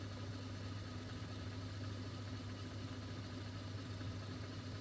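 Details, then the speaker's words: Mastertronic analyzer during a reference-test rinse: the drain motor starts and empties the reaction chamber with a steady, even low hum and no knocks or squeals, before air bubbles show it is drained; normal drain pump operation. "You can see the empty motor is starting and emptying here, and you will soon see air bubbles again."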